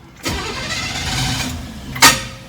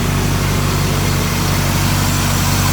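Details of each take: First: Barn-find 1967 Chevrolet KC10 truck, carbureted engine that had sat a long time and just got a new battery: cranks, catches roughly, stumbles unevenly, then a sharp pop. The carburetor is flooded, giving a hard start, then it idles fine. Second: Barn-find 1967 Chevrolet KC10 truck, carbureted engine that had sat a long time, idling after a flooded start: even steady low rumble with an unbroken beat and no misses or knocks, purring smooth, normal idle.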